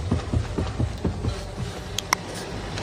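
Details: Steering wheel turned: dull low knocks about four a second, then fading, from a dry electric power-steering intermediate shaft coupling; cured by removing the motor, cleaning and greasing the coupling.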